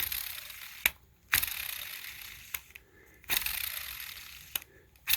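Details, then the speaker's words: Linnhue baitcaster reel (12 ball bearings plus one roller), handle cranked fast: bursts of dry, gritty whirring between clicks as the bearings are heard working; noisy reel at speed, cause not confirmed. "the only thing i don't like is i want you guys to listen when i really speed up this handle turn you can really hear those bearings in there working"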